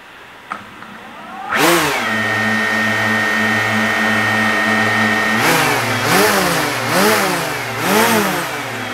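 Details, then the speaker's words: DJI Mavic Air fitted with Master Airscrew propellers, rev test on table: whirring tone swooping up and down, lower pitch than stock making it sound softer; smooth even spin, healthy. "a different pitch yes and the difference in pitch makes a sound softer"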